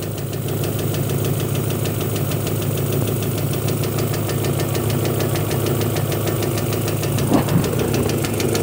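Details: Honda petrol engine at idle: steady light tapping, three to four ticks a second, less prominent above idle, mistaken for valve clearance; faulty knock sensor with code and VTEC disabled, cured by a quality replacement.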